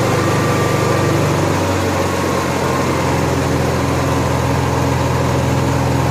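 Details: Honda EXW171S welder generator, sat in a barn over 5 years, run indoors after choke warm-up: steady, even speed with no knocks or surging; normal running, healthy.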